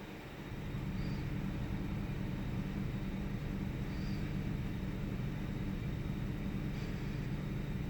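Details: 1998 Ford Taurus SE V6 OHV, hood open, idling with intermittent rough running: low idle rumble with uneven beats and slight dips, sputtering and missing, mild rpm fluctuation. Earlier episode saw idle swing 400-1000 rpm without warning lights; cause undiagnosed.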